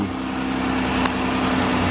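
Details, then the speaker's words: 2013 Chrysler 300 3.6L V6 at idle after the ticking repair: a smooth, steady low hum with only a faint tick, much quieter than before; considered normal. "I think that's normal I mean I don't learn on this I can hear it on the other side but it's not as noisy though"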